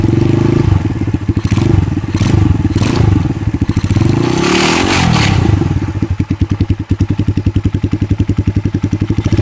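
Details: Kikker 200cc single, 146 miles, revived after sitting non-running with tank and carb cleaned; loose metallic clatter over the firing beat, busier with each throttle blip; bad rattle, source unknown.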